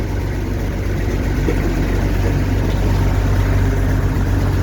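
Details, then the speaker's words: Allis-Chalmers Gleaner EA combine separation unit run-up before the threshing unit is refitted; steady low engine drone with even rumble, no knocking, grinding or squealing, little noise from the unit, normal running. "so as you can see well as you can hear there's not much noise i've checked it already so i know"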